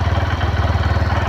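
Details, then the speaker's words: Honda Verza 150 single-cylinder motorcycle, formerly rough-sounding despite several engine teardowns, now idling after repair with an even, steady low thump of about ten pulses a second, no rattle or jingle. Normal idle. "suara mesinnya tidak ada yang kasar itu lagi, Teman-teman. Tidak ada yang gemerincing, tidak ada yang apa, Teman-teman,"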